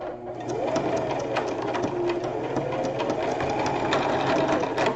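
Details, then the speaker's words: Brother sewing machine zigzag stitching a rope bowl; rapid stitching chatter with irregular crunchy clicks, suspected wrong-size bobbin, not confirmed. "that sounds like bobing to me that's boing issues so I think I got the wrong size bobing y'all"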